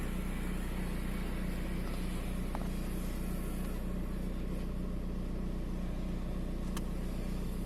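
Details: VW 1.9 TDI AXR diesel shaking at idle with an uneven, stumbling beat and periodic dips in rhythm; fault code 16688/P0304 intermittent cylinder 4 misfire, cylinder 4 deviation 2.99 mg.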